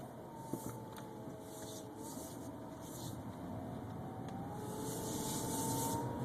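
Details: 2011 BMW 328xi while driving: a faint mid-pitched whine rises and falls with speed over light road noise, apparently from the driveline; cause unknown.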